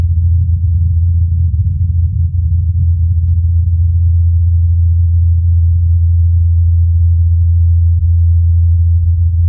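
Deep, even drone around eighty hertz with no knocks or wavering; the rotor blades are spinning smoothly in normal flight.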